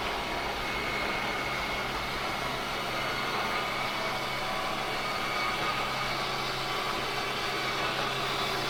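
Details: Whitehawk 32KBS travel trailer bedroom slide-out retracting: continuous, even grinding drone with a low steady hum, no knocks; the slide motor is bottoming out at its stop as designed.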